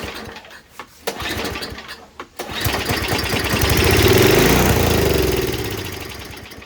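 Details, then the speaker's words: Murray Ultra 5hp 22-inch Tecumseh snowblower that would not start, fuel poured into the spark plug hole, no choke: a few sharp pulls, then it catches, revs unevenly and dies, confirming spark and some compression. "All right, so that's good. That does mean I have spark. It does mean I have some compression."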